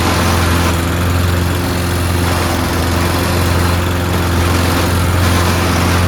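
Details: Toro Recycler mower being pieced together from broken units, running after fuel added: steady, even idle with a deep low thump, no knocks or misses; engine and blade PTO work; owner suspects stripped rear-wheel drive gears.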